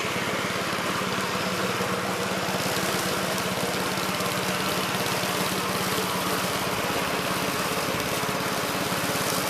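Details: 1969 Gravely C8 tractor, morning run after no-high-range repair: steady single-cylinder chug at constant speed, even firing, no knocks or grinding. Runs normally.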